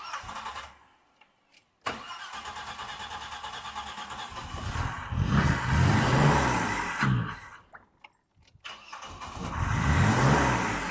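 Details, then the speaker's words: Old car with rebuilt carburettor: cranks, catches and revs high with rattly metallic pinking on start-up; ignition timing too far advanced, though earlier top-end knock was suspected and knock versus pre-ignition remains uncertain. "Now it sounds, when it's starting, it sounds like it's pinking. And that would be the ignition timing is too far advanced."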